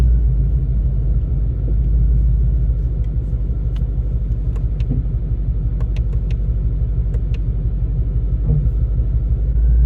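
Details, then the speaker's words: Car with a 10R80 automatic transmission, driven after TX2K. Heavy low engine roar stays high without the car pulling harder while accelerating, even in first gear; owner suspects the transmission is slipping and not grabbing, unconfirmed. "well it sounded like it even in first year you as you were accelerating hard it wasn't not accelerating hard I know but like as you were accelerating it sounds like it just slips it doesn't grab"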